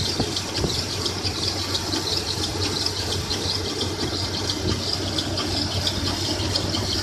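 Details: 1996 Toyota 4Runner at idle, noise began a week ago: constant high-pitched squeal and light rattle over a hissy background; owner suspects timing chain or water pump area, cause unknown.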